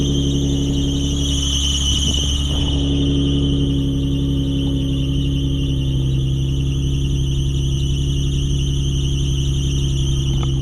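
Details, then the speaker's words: Nissan 350Z (300 hp): sharp high squeal over idle at startup, worst with clutch in or in neutral, fading as engine settles; something up front squeaks, owner suspects one of the belts, not confirmed. "My 350Z, every time I've been starting it, unfortunately, it's been like squeaking. like something up front is squeaking. Every time I start it or like or no, every time I put it in neutral, it like squeaks really bad for some reason."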